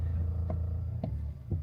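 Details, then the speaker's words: New-generation Toyota Land Cruiser with a turbocharged 4-cylinder hybrid, sitting at idle. A low steady rumble with a light rattle about twice a second; the rattle appears only at idle and goes away with any throttle. "Do you hear that? Something is rattling. I'm just sitting here idling."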